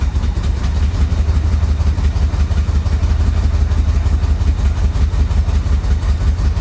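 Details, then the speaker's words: Flood-damaged Corvette recovered from Florida storm: loud, low, lumpy beat pulsing about three times a second, uneven and labouring, nearly stalling off throttle; rough idle, suspected timing or fuel, possibly plug wires. "yeah it sounds like a timing issue doesn't it I don't know could be fuel could be timing"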